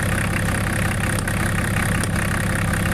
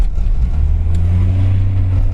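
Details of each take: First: Range Rover P38 diesel with no power, idling around 600 rpm against a 750 target: a low, rough idle whose note changes as the injection pump is tapped back to adjust timing. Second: Range Rover P38 after two gearbox fluid changes and fuel injection pump adjustment: deep, strong engine drone holding steady under load as it pulls away, smooth with no hesitation or knock; revving well and quicker, power problem believed solved.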